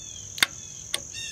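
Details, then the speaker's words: 2003 Ram 1500 5.7L with recurring P0456 despite a new LDP hose, leak detection pump powered externally: two sharp clicks half a second apart over faint hiss; solenoid switching normally, pump sealing still unproven. "that tells you that the solenoid is working inside of the leak detection pump"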